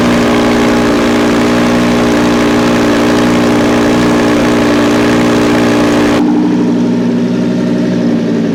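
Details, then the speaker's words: Wrecked Audi R8 with new radiator on a temporary closed cooling system: loud idle with a fast metallic rattle that eases as revs change, traced to something loose in the left exhaust outlet and suppressed when pressed by foot. "so it sounds like that noise that we were about is actually something in this uh left-hand exhaust outlet i'm not sure what it is but something's rattling in there and when i place my foot on it like it like is really suppressed so we know it's something coming from there"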